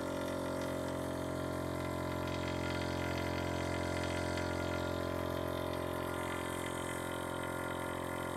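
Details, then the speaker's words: VIAIR 444c air-ride compressor on bolt-on isolator feet: smooth, steady motor drone with a low hum and no knocking or rattling, metered at about 72 dB, similar to the 310 SS and quieter than a hard-mounted 444c; runs normally. "all right so it looks like we got a reading of about 72 looks like via Air's new 310 stealth series compressor is very similar to an isolated 444c but not nearly as loud as a hard-mounted 444c"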